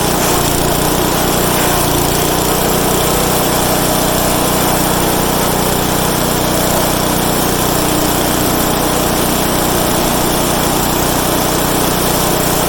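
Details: Craftsman/Troy-Bilt/MTD wood chipper, already warm (no choke), with new blades fitted: small engine runs loud and steady while chewing through material, no knocking or bogging; normal running under load.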